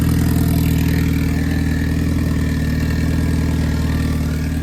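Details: Boosted Honda B20B4 turbo four after repairs (new ground wire, new oil feed line, fuel fix, wastegate plumbing corrected): steady low idle with even pulse about four per second, no misfires or rattles; idles cleanly.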